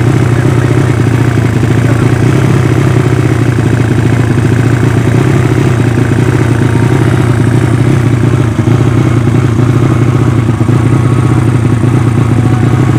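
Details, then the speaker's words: Yamaha Vega ZR with swapped Mio cylinder, 200cc, 66mm piston, standard stroke, Tiger cam, open header exhaust (considered too small), first test run after long storage: steady loud idle with dry, slightly ragged pulse; carburettor not yet set, running quite lean. "di karburator belum sesuai agak sedikit tekor bukan sedikit for lagi ya tapi banyak tepatnya"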